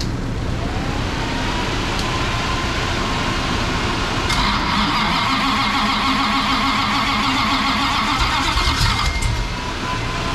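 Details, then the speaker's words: 440 big-block V8 during engine break-in, hot restart after running and revving; short crank, catches immediately and settles into an even idle with no popping or stumbling, firing right back up without vapor lock. "oh yeah it would it fire right back up which is weird cuz your Mustang vapor locks"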